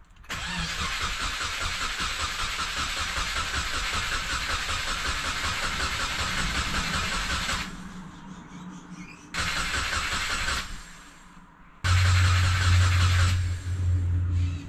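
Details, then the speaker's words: Subaru Forester turbo, after turbo bolt repair and catless uppipe fit, cranked in neutral with the 15A ignition fuse (no. 11) pulled to prime turbo oil: long steady whir about three beats a second with no firing, then short bursts. "With that out, chuck the car in neutral. We'll crank it for maybe 5 or 6 seconds, turn it off again, 5 or 6 seconds, turn it off, because we don't want to keep the starter like rotating the whole time."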